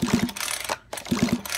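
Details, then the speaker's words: New RC nitro engine during break-in, pulled over slowly for the first time with the spark plug removed and 3-in-1 oil in the cylinder: even ratchety clicks in two pulls, no catch or scrape. The piston moves nice and smooth. "now we're going to pull this for the first time slowly without just with the spark plug removed that piston going up and down see nice and smooth"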